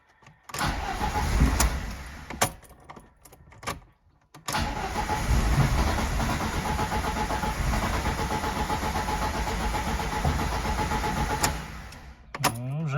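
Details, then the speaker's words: VAZ 2109 with 1.5 engine that suddenly stopped starting (spark present, regulator module replaced), after clearing error 0336: repeated long cranking, engine stumbling and half-catching without running. "Ага пробуємо О вже щось щось хватило щось починає"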